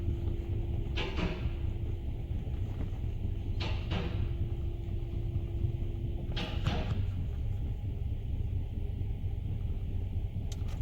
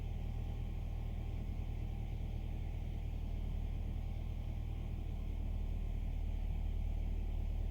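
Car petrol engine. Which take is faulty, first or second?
first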